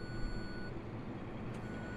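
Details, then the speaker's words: Farm diesel (sprayer work with Bateman RB26 sprayer) at idle: steady high warning beep over low idle, same fault code as earlier that derated the engine; cause not found, mechanic to be called. "you hear that beeping noise it is the same fault code is what i was getting on sunday and it's d rated the engine"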